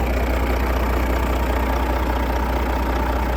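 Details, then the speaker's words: Detroit Diesel DDEC truck, sat 11 years, first start: deep, steady diesel idle with an even low thrum, no misses or knocks; oil pressure, air pressure and voltage present; running healthy. "That thing fired right up. You ready to go on the road tomorrow? Holy crap, guys. Listen to that. Listen to that, boys. That's the old freight shaker."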